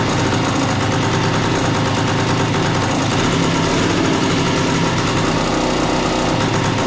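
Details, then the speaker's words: A 1976 Suzuki TS185 two-stroke dirt bike, long-stored and just revived with no air cleaner fitted, gives rapid, ragged popping with an uneven beat at idle. The idle is unsettled while the idle adjustment screw, previously set much closer, is being set. "okay so that's your idle that's basically your idle adjustment screw so he whoever had messed with this last time had it way closer"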